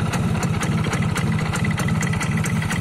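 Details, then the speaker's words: 2002 Yamaha F1ZR Caltex Special Edition two-stroke, 20 years old, original engine never rebored: idling with a fast, slightly uneven putter and loose rattly edge; mildly rough idle owner attributes to age, cause unconfirmed. "ya, kasar-kasar dikit lah OS 0."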